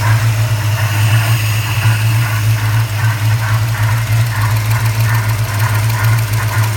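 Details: 1994 Chevrolet Caprice LT1 V8 idling, recorded under the hood: strong low hum with an uneven airy whoosh on top; odd whooshing or rubbing noise of unknown source.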